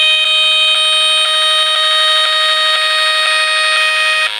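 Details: Cheap PRC-made 12/24 V auto-selecting PWM solar charge controller charging a 24 V bank of four 125 Ah AGM batteries: shrill steady electronic tone pulsing about twice a second, switching interference heard through a radio; all five such controllers do it.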